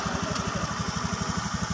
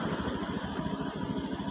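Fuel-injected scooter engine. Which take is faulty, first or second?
first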